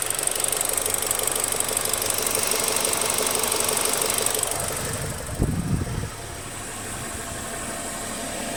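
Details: BMW 116i E87, engine warm: fast light metallic rapping about three per second over the idle; cause of the noise unknown.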